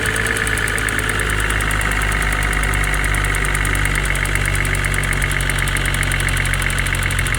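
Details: Mercedes-AMG GT43 at idle: a fast, even light ticking mistaken for timing chain noise; the real cause was a failing EVAP purge valve, and replacing it restored normal engine noise.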